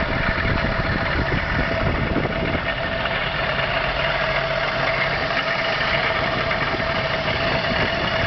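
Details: Engine idling with a rough, uneven rumble and a thin ringing tone on top; abnormal engine noise at idle, cause not clear.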